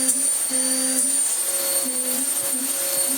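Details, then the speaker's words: Vax Power U84 upright vacuum running after filter cleaning, with belt issues: a steady high shriek from the brush roll over a droning motor, and a honking tone coming and going from a bad air leak somewhere. "oh, you can hear the brush roll screaming. You can hear it honking where there is a horrific air leak somewhere in it, somewhere."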